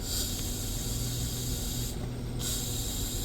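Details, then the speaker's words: 1993 Plymouth Grand Voyager SE revived after 18 years parked: steady airy hiss that briefly cuts out and returns, no engine rhythm; owner suspects the brake booster is leaking in air and needs replacing, not confirmed. "pretty sure this means we need a new booster right because the boosters leak in air"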